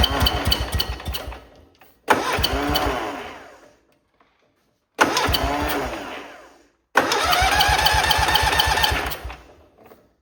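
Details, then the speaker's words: Cub Cadet Cyclops garden tractor with Kohler 18 twin, restarted to check whether the noise is a noisy electric clutch bearing: starts and runs in short bursts with loud, uneven puffing beats; turns out to be a blown head gasket, to be replaced. "To remove that whole motor, I'm glad I didn't take the electric clutch off. All it is a blown head gasket."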